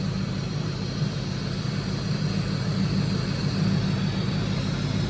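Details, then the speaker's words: Ford SVT Lightning, engine still cold, idling after a DIY supercharger porting and vacuum line repair: steady, even low idle rumble with a soft intake suck and no grinding or whine from the blower; intercooler pump flowing, no leaks. "uh the intercooler pump is Flowing still got coolant in here there's no noise coming from the blower"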